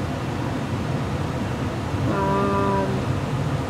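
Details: 2002 Carrier Infinity 75,000 BTU gas furnace with a 2-ton coil, system running in COOL mode with a 2001 Carrier 2-ton AC: steady airflow rush with a low hum and no knocks or rattles; blower running smoothly.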